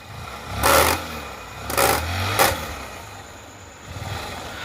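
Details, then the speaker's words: Honda Shine motorcycle with throttle blipped three times; each rev brings a harsh rattling "kata-kata" clatter over the engine note; worn, slack chain and sprocket kit. "బండి అయితే చాలా అంటే చాలా sound అయితే వస్తుంది కటకట కట అనే సౌండ్ అయితే చాలా ఘోరంగా వస్తుంది"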